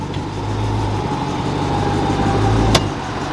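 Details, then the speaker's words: Chrysler 300 SRT with a V8 Hemi (345) and a blown differential, idling with the window down. A sharp, loud metallic driveline clunk sounds as it is shifted from reverse into drive; repair pending, cause suspected, not confirmed. "Yeah, so I don't know how good y'all can hear that, but it's a loud clunk. We gotta get that fixed."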